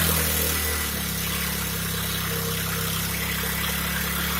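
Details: Hyundai portable generator that had made a sharp metallic sound inside: steady, even engine drone with no knocking or metallic rattle after repair; generator running smoothly again.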